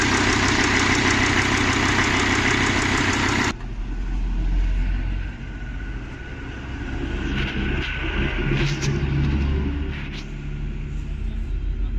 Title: MERCEDES-BENZ E CLASS ENGINE OM647 270CDI NO HARD START NO SMOKE BUT TURBOCHARGER NOISE PROBLEM